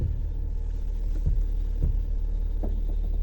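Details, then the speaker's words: Fiat Strada with electric power steering, engine idling: a few dull, uneven clicks and creaks as the wheel turns left or right; a loose fastener in the steering column. "apresentava um barulho no volante tanto para a esquerda tanto quanto para pra direita toda vez que eu virava o volante ela começava a estralar"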